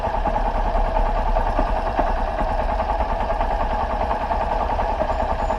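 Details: 2013/2014 Honda Fan 125 (modified, 160 parts) after a cam timing chain replacement to cure a metal-on-metal noise under load from second gear up: steady, even single-cylinder idle with a soft low thump, no top-end rattle. Healthy.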